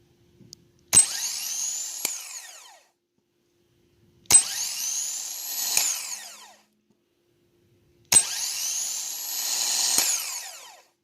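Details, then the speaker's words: New replacement starter for a 2014 Infiniti QX80 5.6L, tested on the bench with a jump box and remote starter switch: three bursts of fast high-pitched whir spinning up evenly and winding down cleanly; healthy, unlike the worn old starter. "so uh big difference there and uh looks like the new starter is good"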